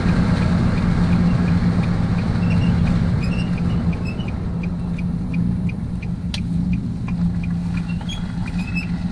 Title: Squeaking noise coming from Nissan Titan